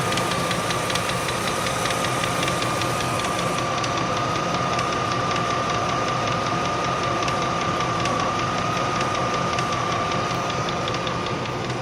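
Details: 1998 Range Rover P38 4.6 HSE V8 at idle: a light, fast, somewhat uneven ticking over a steady whine. The owner hopes it is a worn cam with a bouncing tappet; the source is unconfirmed.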